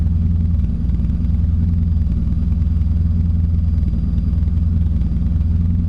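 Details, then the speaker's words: Toyota Corolla with 4AGE swap after fitting in-tank fuel pump, cool morning, no cold start: low, even idle rumble without stumble or miss, no pump whine audible; healthy idle. "sweet we got no leaks well it's not leaking yet it's all back in and it's running and my pump is quite as now like you can hardly even hear"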